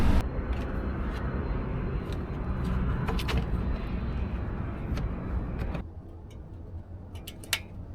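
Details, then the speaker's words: 2018 Mazda CX-5 after a water pump replacement, held at about 2500 rpm while the coolant is bled, with the heater on. Steady, even engine hum, then settling lower; the earlier rattling and grinding noise is gone. "the noise is gone there's no more rattling there's no more like that grinding noise"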